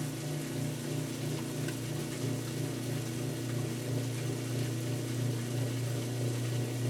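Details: Kenmore washer that stopped halfway through the wash cycle and sat six months, after bypassing the broken lid switch: steady low, even hum with water swishing as the drain pump finally empties the tub normally.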